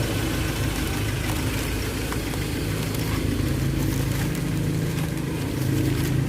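The idle sounds lumpy, with an uneven low thrum and an occasional stumble, consistent with a single-cylinder misfire at idle.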